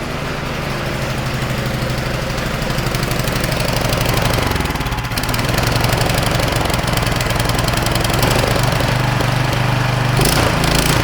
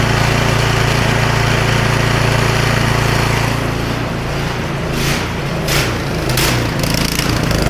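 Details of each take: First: Non-starting snowblower small single-cylinder engine on a trial BPR4ES plug, running briefly on starting fluid: uneven low chugging, catching and stumbling, smoking heavily. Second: Snowblower small single-cylinder engine after smoke possibly from owner tipping it to drain gas, plug torqued in: steady even beat with no misses or stumbles; running properly.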